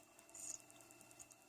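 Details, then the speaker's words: Sony MZ-R900 portable MiniDisc recorder after cleaning, disc spinning: faint quick even ticking about ten times a second as the head seeks, nothing rattling; normal mechanism noise. "make that funny noise when he's happy as well"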